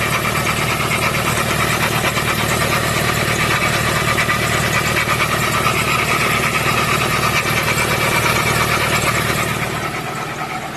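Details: 2015 Ford Transit 3.2 diesel idling: loud clattery rough, uneven idle with a busy rattle; failing drive belt idler pulley, fixed by replacing it.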